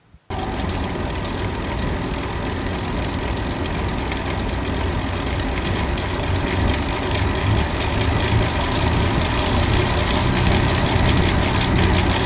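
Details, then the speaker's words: Gravel bike with 1x groupset run in an extreme cross-chained gear: steady rasping chain whir with gritty grinding, showing drivetrain inefficiency. "you do in fact find that additional noise and grinding as you can hear the inefficiency in the system"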